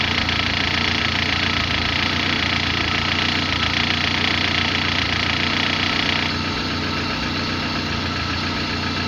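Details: Car engine idling unevenly with a wavering beat and a harsh hissy rattle on top that eases partway through; rough idle, cause unclear.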